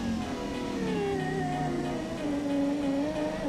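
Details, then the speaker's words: 1989 Lotus Esprit passenger power window, very slow, before repair: motor hums in a strained, wavering tone with sagging pitch as the glass struggles down and up; binding track, to be treated with dry lubricant on tracks and motor gears. "it's down, struggling, then it goes up."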